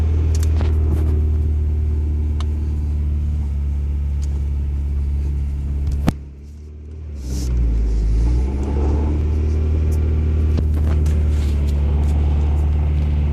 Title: bad bearing